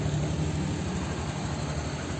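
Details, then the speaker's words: Honda Beat 2022 scooter started by newly installed remote alarm without ignition key: low, steady putter with an even pulse and no knocks or rattles; small engine at a healthy idle. "dipencet secara cepat dua kali dia bisa nyalain mesin dari remote ini tanpa kunci kontak speedometernya juga nyala"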